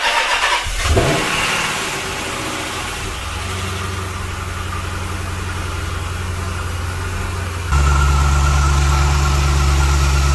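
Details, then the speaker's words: Dodge Magnum SRT8 after a 6.1L Hemi V8 swap, intake not yet installed and a vacuum line unplugged: engine fires and settles into a deep idle that rises and falls unevenly. The open vacuum line causes the surge. "I have this vacuum line unplugged earlier um because I was trying to get that sensor off that sensor off but um I still got to put the intake on that's why it's surging a little bit"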